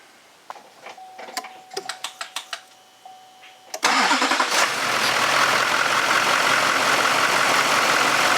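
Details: 2004 GMC Sierra 2500 6.6L LLY Duramax diesel, test start after alternator replacement: a few light clicks, then it fires promptly and holds a steady smooth idle with no belt squeal or knock; normal idle.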